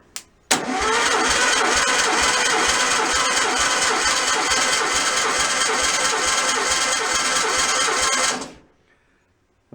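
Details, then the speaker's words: Stock 1600cc VW engine just rebuilt, on a stand with no bell housing, compression test while cranking; even, steady beat about three pulses a second with no misses or clunks; about 150 psi per cylinder, normal cranking. "so let's do a quick uh do a compression test i'm just kind of winging it tonight slapping this together and i'm going to start it up tomorrow let's see what this one's putting out"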